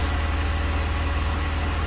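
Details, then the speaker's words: 2002 BMW 330Ci idling after restart, heater on low: steady even idle, faint secondary air pump whir, no ticking; earlier tick gone, owner suspects collapsed lifter pumped back up; coolant loss unexplained, sounds healthy. "but it still bothers me that I'm losing water why am I losing coolant but that sounds like a perfectly healthy engine to me"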